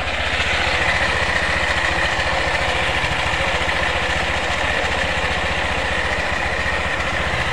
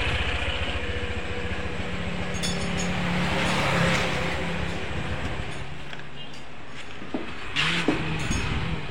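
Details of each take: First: Honda PCX after CVT service for rattle and judder, clutch lining sanded and cleaned, clutch bell reassembled: even steady idle, smooth rapid putter, no rattle or judder from the belt drive. Normal idle. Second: Honda PCX scooter with rough, rattling, juddering CVT before service: uneven metallic chatter and harsh clinks from the belt side. CVT rattle from loose roller slider.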